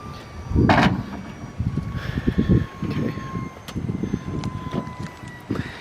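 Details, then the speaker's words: 2023 Toyota Sienna Braun wheelchair conversion van, remote hold button pressed: bursts of dull clunks and thumps over faint motor hum as the power door opens and the ramp deploys; normal operation. "That will open up the door and the ramp will retract out."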